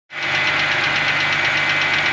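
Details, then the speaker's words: Wrecked BMW 325i E90 rebuild started after sitting, jump-started, cold. Quick, steady, even light metallic ticking keeping time with idle, not a deep knock; owner suspects ticking because it's cold. "and now it's ticking probably because it's cold"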